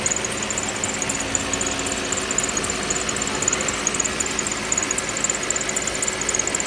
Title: Lexus es350 2010 , V6 3.5L rattle/creak noise at cold start